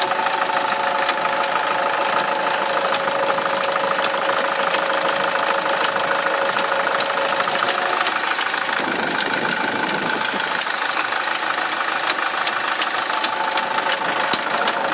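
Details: SsangYong Kyron engine at idle: loose, uneven clicking knock roughly two to three a second over the running note; owner asks what it is, source unknown.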